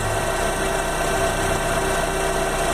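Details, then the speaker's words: 2011 Fiat Palio 1.4 at about 90,000 km, idling: steady whirring hum with a faint constant whine on top; the noise was traced to a failing oil pump, which is due to be replaced. "que identifiquei o que era o problema é um problema sério é a bomba de óleo"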